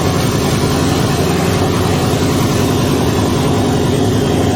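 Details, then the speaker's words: Twin-turbo Ford Mustang build running on a new base tune with no exhaust fitted; loud, steady, deep drone, even and consistent without stumbling. The earlier rough running is gone. "finally it stopped running like dog crap and it actually ran"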